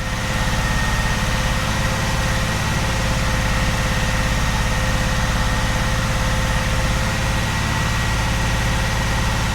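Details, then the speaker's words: 45-year-old Vauxhall Royale coupé, rebuilt 2.8 L engine during cam run-in held at 2000 rpm: smooth, even, steady thrumming with no ticks or knocks; oil pressure four bar then 3.5, smoother than the old engine. "That's four bar of oil pressure. That is absolutely lovely. Three and a half. That's way better than the old engine. And it sounds smoother."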